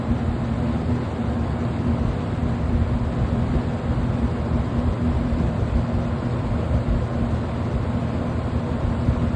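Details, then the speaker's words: Roughly 30-year-old 20-inch Kmart box fan, auction find, on high: steady even whoosh with a faint low hum, no ticking, rubbing or wobble; running fine. "too medium wow that is a jump it's running pretty good too and high"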